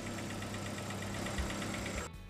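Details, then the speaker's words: Proton Saga BLM (CamPro engine) after replacing the faulty tensioner bearing and belt: a petrol engine idles smoothly and evenly, with the earlier rattle from the belt drive gone. Normal idle after the repair. "Sekarang kita bisa dengar suaranya sudah hilang di bagian tensioner bearing dan di bagian belting yang tadi ada suara gemericik."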